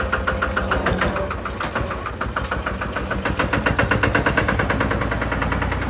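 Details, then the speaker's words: Single-cylinder Lister diesel on a Benford TS25 radial swing concrete buggy, recently repaired, fresh oil, low hours, new tires. Slow, steady thumping about three beats a second with a solid knock on each firing, running evenly; healthy. "Let me show you what it sounds like. I don't know if you've watched any of the videos, but it has a very unique sound."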